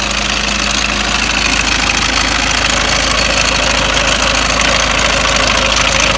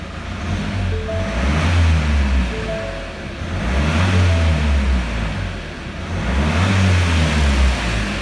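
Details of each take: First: Ford Mondeo Mk5 2.0 diesel, 246,000 miles, idling with oil filler cap off: constant fast metallic clatter over rough idle; slack timing chain, tensioner nylon guides broken and worn away, chain near breaking. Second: Rover 75, after injector work: three quick revs rise and fall cleanly, then steady even idle with no rattle; running as it should.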